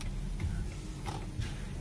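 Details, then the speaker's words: Turn signal test after a new clock spring was installed with the steering wheel removed; faint, regular flasher clicks over a low rumble, and the signal cancels cleanly via the cancellation cam as the wheel straightens; working normally. "ah did y'all hear that okay so that cancellation cam yeah I don't even have to turn hard"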